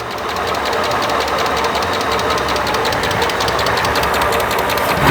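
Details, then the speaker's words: 1997 Mercedes SL600 donor car started after sitting for years on old gas, owner suspects misfiring: fast, regular light ticking over a steady warm-up idle, suspected slight lifter tick fading as it warms; not confirmed. "sounds like it's got a slight lifter tick slight of course it has been sitting for a while so maybe it just needs to warm up and work its way"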